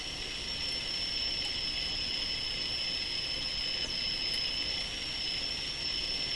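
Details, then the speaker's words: Sparton Model 5049 radio with IF stages peaked, after paralleling a capacitor: steady high whistle over soft hiss at constant pitch, IF oscillation squeal. The added capacitor made no change. "So the plan here was to parallel this capacitor. Okay, you can hear the oscillation kick right in."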